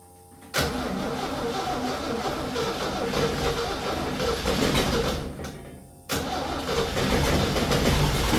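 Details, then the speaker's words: 1966 Jeep CJ5, long-sitting, after ignition rewiring, with a broken plug wire: starter cranks briefly, catches rough, dies, restarts into an uneven idle; carburetor later found leaking gas. "I know this plug wire right here is broken, but we got it to work enough just to prove that this will start. All right, she starts now."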